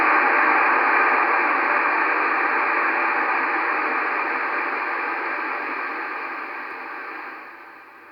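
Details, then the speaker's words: Yaesu FT-902DM receiver, RF gain at minimum, audio at maximum: only steady even mid-high hiss, no signals or crackle; just the audio amplifier's own noise, normal. "now I'm with the RF gain uh uh at minimum and this is basically and the audio to maximum and this is actually the noise of the radio just the audio the noise of the audio amplifier"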